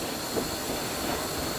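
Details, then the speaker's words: Steam locomotive in preservation pulling about 150–160 tons on a curve: thin steady squeal over the rolling rumble as wheel flanges rub the inside of the rail, slowing the train; normal flange squeal. "see what happens is on the inside of the wheel there's a flange and as you start going around the curve and the plan starts rubbing against the inside of the rail which automatically slows the drain down"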